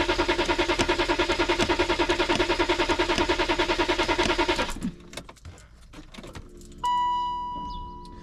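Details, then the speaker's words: BMW X5 diesel on a cold 4°C morning, after a long preheat: steady cranking at about 200 rpm for nearly five seconds that never catches, then a warning chime; glow plugs or their harness suspected, and the battery warning light stays on. "Ah verdict, il démarrera pas."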